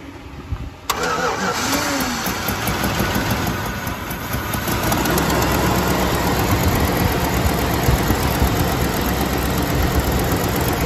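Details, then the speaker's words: Fuel-locked Chevrolet Silverado V8 just revived, catching and settling into a lumpy idle with an uneven puffing tick, sounding like a miss: exhaust manifold leak on one side from missing exhaust bolts and broken-off studs. "It kind of sounds like it's got a miss. That exhaust leak. Yeah, it's missing exhaust bolts back there."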